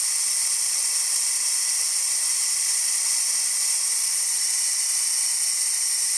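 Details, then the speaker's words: Dewalt D55146 air compressor before check valve replacement: motor off, steady high hiss as the faulty check valve lets tank air leak back, pressure dropping from about 200 psi until it kicks on again around 160 psi. "As you can see, it's going back down, and it's going to kick on again about 160 or so. And that's again because that check valve is letting the air by."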